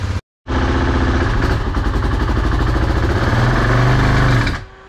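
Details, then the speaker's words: BMW F650 motorcycle with blown head gasket, coolant and water mixing, after head gasket sealer treatment: fires and runs rough and lumpy about four seconds, picks up on a light rev, then abruptly stalls; owner suspects hydrolock, sealer did not work. "anyway well that was the first Rift and it died I guess that stuff didn't not work"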